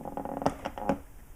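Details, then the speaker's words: Victorian station clock restoration: two or three short, sharp wooden squeaks as each waxed mahogany peg is pushed home. The squeak shows the dowels are a tight, gripping fit. "That's what I want to hear. If they don't squeak, they're not gripping."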